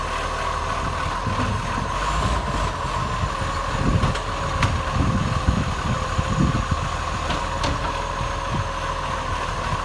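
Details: Acco garbage truck #2538, diesel idling very loud, with a raspy, unevenly pulsing puffing chuff over the low rumble from an exhaust leak; exhaust leak.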